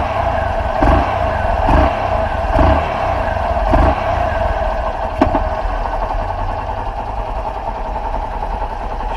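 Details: 2013/2014 Honda Fan 125 (modified), idling after a cam timing chain replacement fixed its metal-on-metal noise under load: even, steady idle with soft regular pulses and no chain rattle or clatter. Running healthy.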